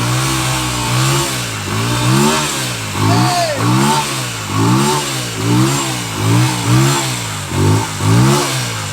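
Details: Motorcycle after long storage, jump-started from a jump box with fuel spilled out and the tank contents uncertain: uneven, lumpy running, revs surging and dropping every second or so with a buzzy two-stroke-like note; rough running after sitting.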